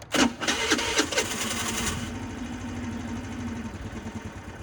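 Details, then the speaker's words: 2006 Volano scooter that had sat for a while: small two-stroke catches with a few sputtering bursts, revs briefly, then dies within about two seconds, and dies again when given throttle. Owner suspects a carburetor or fuel issue. "And it dies right away. And if I turn it on again and try to give it some throttle, it dies. So that tells me that this is going to be a carburetor or fuel issue here."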